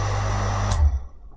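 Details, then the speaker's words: Havells JSE1 1.0HP 0.75kW single-phase shallow well jet pump, test run without water: steady low motor hum with faint fan whir, then cuts off with a click; mostly fan noise heard, healthy. "तो भाई बहुत तगड़ा load ले रहा है तो normally जैसे motor में साउंड होता है ना तो इसकी फैन की आवाज आ रही है ना कि इसकी मोटर की"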